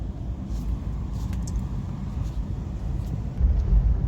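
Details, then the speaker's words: Suzuki Baleno, after column gear cleaned and regreased to fix knocking, hard steering and poor return; car standing, wheel turning: only low steady engine rumble, no clicks or knocks; steering now silent, normal. "पहले चलने में आवाज ए रहा था खड़े में अभी कोई आवाज नहीं है देख सकते हो एकदम साइलेंट है"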